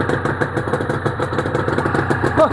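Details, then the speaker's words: Honda NSR250R-SP MC18 250cc two-stroke with JHA pipes, on choke, power valve servo working; crisp, even burble with steady popping from the pipes, no misses or rattles; normal two-stroke idle. "Wow, those pipes sound Those pipes, JHA pipes, sound lovely."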